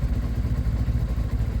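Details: Sinnis 125 motorcycle: steady low single-cylinder idle, even with a slightly raw thump, no knocks or rattles; normal idle.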